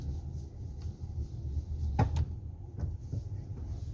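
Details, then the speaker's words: Hyundai Santa Fe in a quiet cabin: a sharp click or clunk each time the steering wheel reaches full lock, both left and right; it is suspected to come from inside the steering rack. "Barulho na direção, ó. Esse aqui vocês vão ouvir bem. Ouvir o estalo. Tá fazendo um estalo toda vez que estece o volante."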